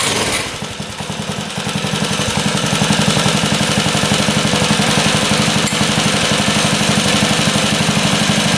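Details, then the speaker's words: Motorcycle that had not run in a long time, carb idle screw set 1/2 turn out, restarted on choke after being shut off: rough moment then catches into an even beat about four per second, no knocking; a little cold-blooded, hard starting when cold. "A little cold-blooded, but she fired back up."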